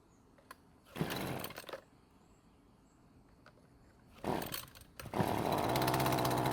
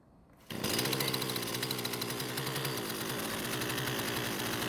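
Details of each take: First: Husqvarna string trimmer after its engine was swapped for another used engine: starts on the second pull and settles into a steady, even two-stroke buzz, running better than ever with no stalling as it had before. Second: Husqvarna string trimmer that stalled after the trigger was released, now fitted with a new coil and carb refitted, shaft and handle off, no load. It fires, screams at high revs, then keeps running after release from just over 50% throttle, so the stall is not reproduced unloaded.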